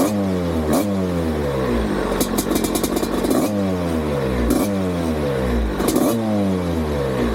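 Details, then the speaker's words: Rebuilt, renovated 1987 Husqvarna WR250 two-stroke on test ride: revs unevenly with stumbling dropouts and rough stuttering under throttle, misfiring badly; owner suspects a fouled plug, not confirmed. "Something's wrong. This one also. It starts to misfire badly. I don't know if I fouled the plug somehow or something."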